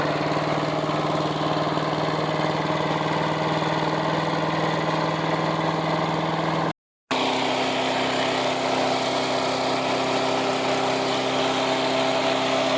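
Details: Resurrected direct-drive wood chipper, 90s engine with adapted 50s carburetor, warmed up: loud, steady, even drone, constant pitch, no stumbles or knocks; runs well but owner couldn't make it quieter.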